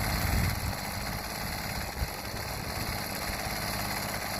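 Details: Homelite HTC 12 30cc two-stroke rototiller after fuel line replacement and cleaning, run outdoors: smooth, steady idle with an even beat and no stumbling or rattles; normal idle.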